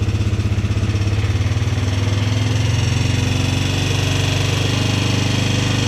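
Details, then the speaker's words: Polaris Sportsman 300 single-cylinder idle after timing chain and valve adjustment: quick, fairly even tick about four a second riding on the thump; owner suspects top-end valve tap, unconfirmed. "tell me what you guys think this is I think it's a valve tap it really sounds like it to me"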